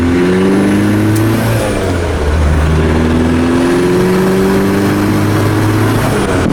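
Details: VW Golf 1986 with swapped 1.9 TDI ALH diesel, mechanical Bosch VE pump, Garrett T25 turbo: revs rise and fall with an uneven, lumpy beat. Misfire at certain revs under light or no load, worse in winter.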